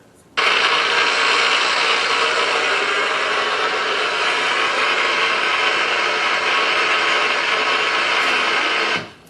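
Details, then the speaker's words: Ultrasonic probe on a 13,000-volt switch, first of two recordings taken July and September: steady frying hiss with fine crackle throughout, discharge activity suggesting deterioration; tonal quality and peak position later shifted; cause suspected, not confirmed. "this was the first one this was on that 13,000 volt switch in Charleston not something you would expect to hear correct"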